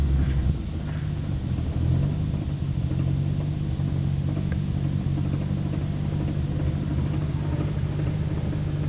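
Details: Nissan Skyline GT-R BNR34, stock Getrag manual gearbox with Nismo clutch, recorded windows open: loose, clattery rattle under steady engine rumble at idle. It is abnormally louder than before and lags after pressing the clutch. Unchanged after gearbox oil change; cause unconfirmed, overhaul considered.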